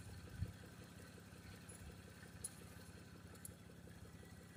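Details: 1989 Toyota Cressida that sat for years, first start: steady low idle with an even quiet pulse and light top-end clatter, faint and slightly rough, brief smoke at first then cleared; normal idle.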